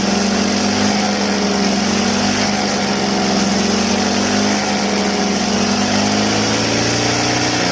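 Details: Two-stroke grass trimmer run dry, refilled, on a cold day: a buzzy pitch that wavers and surges without clean revs. Air in the fuel line, being purged by repeated throttle-and-release until fuel flows normally.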